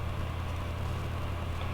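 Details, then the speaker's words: Philips Sonicare DiamondClean toothbrush that lost power under pressure, after reassembly addressing the magnet-to-coil gap, on clean cycle: a steady, even low buzz without stutter or dropout; drive motor runs smoothly, repaired. "let me go back to the clean cycle it definitely feels different and it works again"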